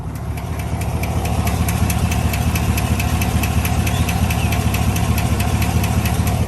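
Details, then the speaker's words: Owner's GM truck with 5,177 miles, idling: a fast, fairly even tick about twice a second rides on top of the idle. Owner says something is wrong; the cause is unknown. "Did y'all hear that? Did you hear that? Bro, something is jacked up on my truck right now."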